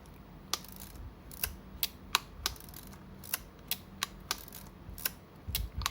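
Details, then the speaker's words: Yashica Electro 35 GSN after repair of a stiff shutter and a sticking film advance lever, loaded with film: crisp separate clicks and ratchet snaps from winding and firing; the advance must make this sound each time after a full press, and advance and shutter sound free and healthy. "แล้วขึ้นฟิล์มครั้งต่อไปทุกครั้งจะต้องมีเสียงแบบนี้อ่ะถ้าไม่มีเสียงแสดงว่าเรากดไม่จมนะครับ"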